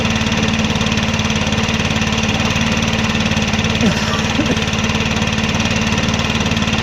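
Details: Stihl 4-MIX backpack blower after a valve adjustment: started on one pull and holds a steady, even buzz with no misses or ticking; running normally.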